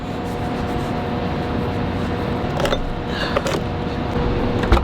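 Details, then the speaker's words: 2003 Lexus IS300 with the 2JZ-GE engine, after new spark plugs to cure a felt and heard misfire. Smooth, even idle with a steady hum and no stumbles or misses, all cylinders firing cleanly. Normal idle. "everything is okay and hopefully start the car that's why it was acting dumb but now Car Works totally fine no problems whatsoever"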